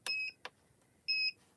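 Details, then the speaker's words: Gemini Foilpress hot foil machine switched from high heat down to a lower setting: two clear high beeps with a click between them and "cool" on the display. The plate is too hot, so unplug it and let it cool. "do you hear that beeping it says cool that means the plate is too hot so what you need to do is unplug it and let it sit for a few moments until it cools down"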